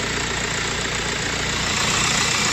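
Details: Audi/VW-group car (Audi A4 B7, Golf 4/5, Seat or Skoda) idling with a constant gritty, hissing rush over the engine and no clear knock; the noise is traced to the alternator, likely a worn bearing, and was repaired.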